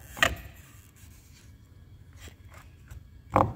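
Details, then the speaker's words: VW Jetta clunking when shifting between forward and reverse under engine load: two sharp, hollow clunks about three seconds apart as the engine mount is worked by hand; the mount is the source. "ó tão escutando não é esse rangido aqui não é o croque que fez ali então era esse abençoado esse barulho croque croque"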